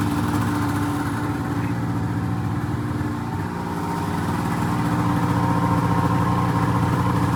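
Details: 2004 Polaris RMK 800 two-stroke snowmobile with full SOP exhaust; steady even idle with regular low beat, no knocks or rattles. Sounds healthy.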